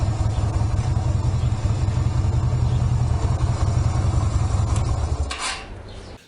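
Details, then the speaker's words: 1999 Yamaha Virago 250 V-twin, lived near the sea, idling after a test ride: even steady low thump, no knocks or rattles, then shut off; engine in good mechanical condition, running perfect (only front brake an issue). "so I'm saying that that is in good mechanical condition obviously you know about the front brake but engine wise and all those bits and pieces it's running absolutely perfect"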